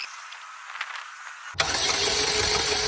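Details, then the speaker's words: Chevy Cobalt with a crank-no-start, starter fluid tried: quiet, then steady cranking churn with one sharp pop at the start that never catches; a backfire while cranking, no start. "not sure if you guys heard that but when I was cranking it I did hear a little backfire at least that's what it sounded like"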